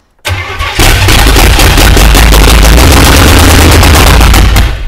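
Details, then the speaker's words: Non-running, US-imported GMC Vandura V8 van with fuel poured into the carburettor bowl: loud, fast, rhythmic cranking for several seconds without catching; no start, with no fuel suspected to be coming through. "right I don't reckon we've got any fuel coming through we've just tipped all the fuel in the that's fine"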